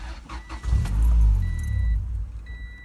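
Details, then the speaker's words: Fuel pump kill switch just installed, fuel pump wire cut through the switch: engine catches with a brief low rumble over the door chime, then sags and dies within two seconds, starved of fuel; the car will not start. "this is known as a fuel pump kill switch now you remember put the keys now you remember what it sounded like with it this is what its gonna sound like with a fill pump kill switch"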